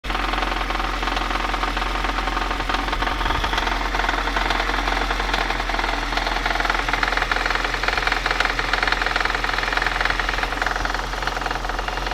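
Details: VAZ 2110 with 8-valve engine at idle: a regular knock of roughly three per second over a steady drone; distinct internal knock, cause unknown.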